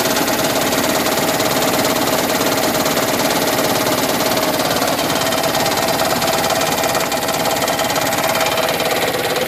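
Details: 2010 Toyota Prius idling with AC on: a rapid, uneven knock over a busy engine idle, starting and stopping in step with HV battery charging. Also occurs when driving at 7–30 mph under load, not at higher RPM. Cause unknown.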